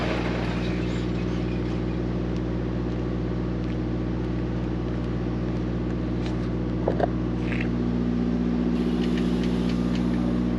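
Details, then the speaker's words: Mack MP8 / Volvo D13 truck diesel after a Volvo specialist sorted the injectors to cure its long-crank hard start: constant regular idle beat with a couple of brief outside clicks; clean healthy idle. "And I get my injectors sorted out, and everything is good now. Truck is running good, fuel is burning fine, everything is happening the right way, right?"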